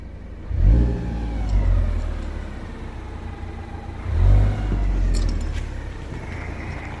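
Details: Ford Focus ST petrol engine blipped twice, a faint whine rising and falling with the revs; cause of the whining unknown.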